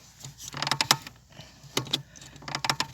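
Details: Lada Granta clutch pedal: dry rapid creaking in short bursts each press and release, from the pedal return spring; spraying WD-40 on the spring and linkage reduces the squeak.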